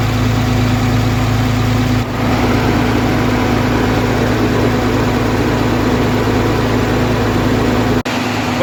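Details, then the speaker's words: 2013 Cummins diesel truck after head replacement, warming up toward 160°: steady, even idle with a smooth low rumble, no knocks or misses, no leaks; running healthy. "cool no leaks other than me overfilling the coolant by mistake sounds like she runs good running really"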